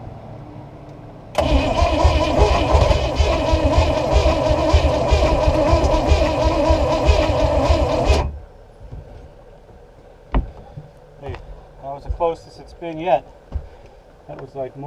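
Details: Abandoned boat's long-unused small block Chevy engine with stuck choke, running slightly flooded on a third battery: catches and runs about seven seconds with uneven stumbling chug before dying; misfiring on more than one cylinder, cause suspected.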